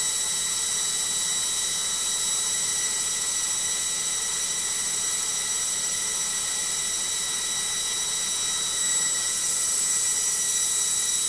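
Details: Logik washing machine on spin: loud, steady, high-pitched roaring whine holding evenly throughout; noisy spin, cause not yet known.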